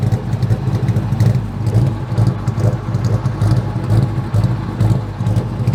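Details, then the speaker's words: 2003 Mustang GT after a 4-valve V8 swap with new mufflers: a lumpy, uneven idle with loping pulses about twice a second, like a misfire; owner suspects a connector or wiring issue, unconfirmed. "cars running a bit rough um we still have i think a connector issue or wiring issue but let me start it up so you guys can hear it"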